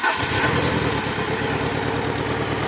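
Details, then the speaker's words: Alfa Romeo 147 at idle, lumpy and wavering, never settling; blown head gasket letting coolant into the cylinders, with misfire in cylinder 4, white antifreeze-smelling exhaust smoke, jerking and a pressurised coolant circuit. "They dance until you also notice the instability of the engine. Ok. How could we also find out that this head gasket is bad?"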